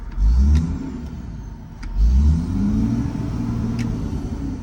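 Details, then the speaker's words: Huge diesel pusher RV at auction yard, warm: two clean throttle blips rise and fall smoothly back to steady idle, no hesitation or rattle; no blow-by and no smoke seen in mirror; normal rev. "Oh yeah, no blow by at all, no smoke at all. I'm looking at the rearview mirror right now, and no smoke at all."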